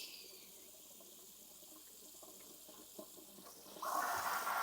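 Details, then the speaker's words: Stovetop pressure cooker in a sink under cold running water for a quick pressure release: quiet water trickle, then a steady hiss with gurgling bubbles as the valve drops and pressure falls; normal pressure release hiss. "all right that that gurgling hiss that tells us that the pressure dropped and now we can easily open this up"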